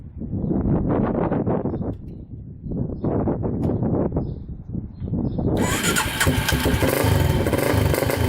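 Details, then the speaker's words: 2006 Polaris Outlaw 525 quad bought cheap as needing only a carb clean; after carburetor cleaning (fuel screw was out about three turns) engine fires and settles into a steady even beat without dying, no longer shutting off when driven forward. Normal running. "so all right so this thing is running good uh the carb clean seemed to fix it so it wasn't shutting off when i uh went forward anymore so i think the carb clean was the issue"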